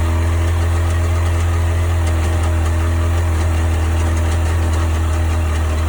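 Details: 1998 Sea-Doo GS 720 two-stroke personal watercraft at idle: steady low drone with a faint irregular light ticking on top; owner asking what the strange noise is, source unknown.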